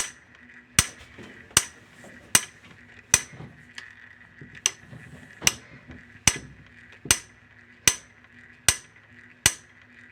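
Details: Top-load washer that takes the Whirlpool/Maytag/Kenmore W10006355 shift actuator: sharp single clicks about every 0.8 seconds over quiet. A broken shift actuator is suspected.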